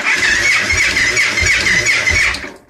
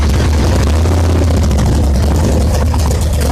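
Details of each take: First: 2002 Victory V92 V-twin that sat outdoors about eight years, in neutral; sluggish uneven cranking with strained whirr sagging between turns before dying; oil light goes off right away, weak battery suspected. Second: 2002 Victory V92 V-twin after sitting outdoors about eight years, started with starting fluid on a weak battery; strong lumpy beat about three pulses a second, runs steadily and revs slightly before shutting off.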